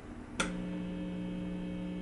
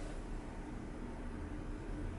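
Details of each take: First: Marshall Valvestate 80V amp idling at volume one with a single-coil guitar pickup: a click, then a steady low buzz of 60-cycle mains hum picked up by the single coil. The hum is masked while playing. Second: Marshall Valvestate 80V amp after master volume re-soldered and pots cleaned, distortion turned all the way up, humbucker guitar with volume down: soft steady hiss rising with gain, slight buzz, no crackle; normal amp self-noise.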